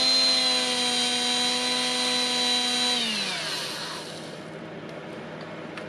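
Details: Milwaukee M12FDGA angled die grinder after switch teardown and repair, run through its speeds: smooth, steady high-pitched whine, then winding down with no rattle or grinding; grinder healthy.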